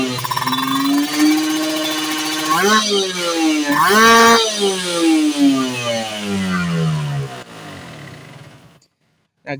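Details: Two-stroke motorcycle (Ninja R series mentioned) after pilot-jet/main-jet tuning; revs from 1000 rpm idle climb evenly to a high scream and drop back smoothly, slight midrange softness around 6,000-8,000 rpm, no stumble: normal two-stroke rev-up.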